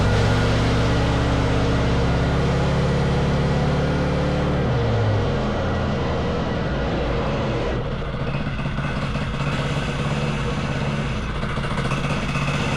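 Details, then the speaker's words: Wacker Neuson VP1030 plate compactor after governor, throttle lockout and carb adjustment: steady, heavy thumping at about four beats a second with an even drone. It is running and vibrating properly; owner suspects worn clutch springs. "but it does it whacks all right it does the job"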